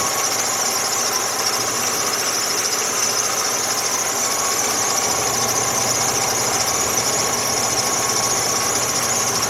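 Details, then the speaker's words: 2003 Jeep Liberty Sport with code P1491 (radiator fan relay circuit), idling with hood open during a charging check; steady high-pitched whine of constant pitch over an even idle; alternator whine. "Keep this thing up, and I actually can hear the alternator kind of whining here."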